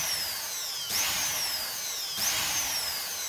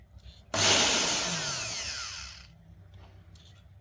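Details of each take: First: Multi-function blender repaired after not running, motor mounted on a fixture, wiring checked for breaks: high, even motor whine rises and falls twice with pulse switching, runs continuously, no grinding or scraping; healthy running. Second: Multi-purpose blender motor removed and run directly on AC mains: whirs up high and loud for about two seconds, then winds down and stays silent; stalls at certain rotor positions.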